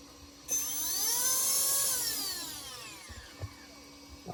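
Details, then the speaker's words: Castle 1650 brushless motor on custom 8S Infraction V2 RC car, after replacing suspect cheap or incompatible 8mm connectors with Poseidon bullets: smooth whine climbing then winding down, even, no stutter or cut-outs; running cleanly. "Everything sounds good so far. I'll be damned. Those connectors were either cheap or not compatible with Castle."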